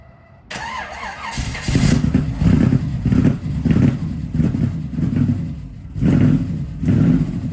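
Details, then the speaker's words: 1969 Camaro ex-show car V8, parked not running for years, started after filling the carburettor float bowl: fires, rumbles deep through throttle blips and returns to idle without stumbling; sounds like a muscle car, just needs tuning. "wow that is awesome she sounds like a muscle car a little bit of the tuning and we'll be ready to go"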